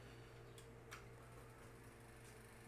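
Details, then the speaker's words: Radeon HD 7970 graphics card fan with two broken blades: quiet computer fan hum with sharp ticks; noise becomes much more intense when gaming spins the fans faster. "nós estamos aqui para mostrar para você as duas quinhas do do fã tá aqui quebrada e Então ela começou a fazer um barulho"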